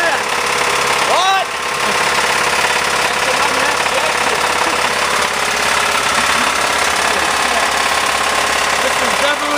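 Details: Mazda Tribute with Ford 2.3L engine: loud, hard metallic knock hammering steadily while running; failed, badly worn No. 2 rod bearing with a step worn on the crankshaft journal.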